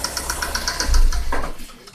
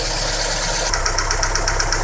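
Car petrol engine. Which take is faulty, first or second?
first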